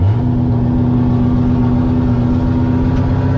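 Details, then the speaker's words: Turbo Cutlass with new 5.3 V8, revving to about 70, 53 jet restrictor: deep rumble with a steady turbo whistle rising with revs, louder than the old turbo; owner notes slight possible miss. "You can hear that turbo. You can't hear my old turbo like this Right. one."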